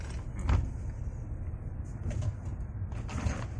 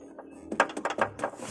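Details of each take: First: 2013 Honda Brio after fix, road test on rough road: low road rumble and soft thumps, rear-left rattle gone. The knocking came from poorly secured rear camera installation wiring, with the shock mount rubber first suspected. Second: 2013 Honda Brio, rear left: light hollow plastic clicks in quick irregular clusters over rough roads and speed bumps. A loose reversing-camera RCA wiring connector is rocking and tapping against the body panel. Shock mount rubber was first suspected.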